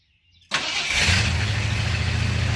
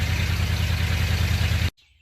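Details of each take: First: 1978 Ford F250 just after a tune-up with new plugs, wires and cap (old wires suspected intermittent); cold start, slightly uneven lumpy idle, no mechanical knocking; rough cold idle that smooths out, timing still needs setting. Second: 1978 Ford F250 after a cheap tune-up with plugs, wires and cap; old wires were breaking apart. Started cold, it ran rough at first, then settled to a deep, even idle with no misses. It is healthy, though the timing still needs setting.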